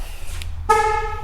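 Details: 1968 Dodge Charger with Hellcat swap, remote lock after wiring/module fixes; a click then single short horn chirp confirming the alarm armed: horn chirp on remote lock.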